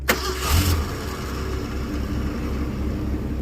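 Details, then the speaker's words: 1981 Ford Mustang, 200 inline-six, carburettor, cold start: cranks and catches then settles straight to a low even idle, no raised cold-start speed; fast idle not engaging, rpm near the 650 target. "Okay, so there's no high idle feature right now. And my RPMs are actually about where they should be."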